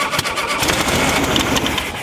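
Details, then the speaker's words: Rare VW Baja Champion Edition Super Beetle, first start in years after confirming spark and timing at top dead center: engine catches on the first cranks and settles into a steady flat-four clatter, running fine. "there it is. A little timing. Well, it's about time. Okay. So we know it's a runner."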